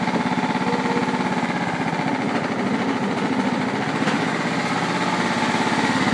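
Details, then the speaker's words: John Deere STX38 riding mower's single-cylinder engine chugs at steady idle with no misses or knocks, no smoke, starts well; deck noisy, PTO clutch good; runs smoothly. "can see, thing runs really good, no smoke, starts really good."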